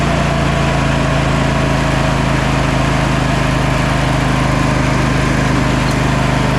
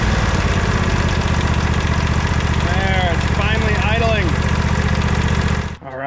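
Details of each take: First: Sabre by John Deere lawn tractor after new starter and carburetor cleaning: small engine holds a fast, steady, busy note without settling, then cuts off; seems to be over-revving or not idling down enough, cause unconfirmed. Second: Sabre by John Deere lawn tractor after carburetor screw fix and fuel tank clog cleaned: steady even low putter at idle, three to four beats per second, no misses or knocks; normal idle.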